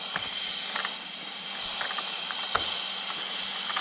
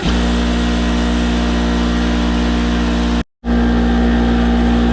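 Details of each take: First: Craftsman 220V 6 hp 33-gallon twin-cylinder oil-free air compressor, tank at 90 PSI, regulated side 90 PSI: constant sharp hiss of escaping air, not from fittings; air leak in regulator causing constant cycling. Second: Craftsman 220 V, 6 hp, 33-gallon twin-cylinder oil-free air compressor after replacing its leaking regulator: loud, steady drone with strong low hum and even pumping rhythm, no knocks or squeals; normal compressor operation.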